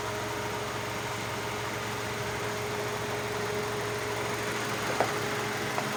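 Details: Hyundai Elantra with no-crank no-start problem: steady even idle with smooth low hum, no misses or knocks; normal idle.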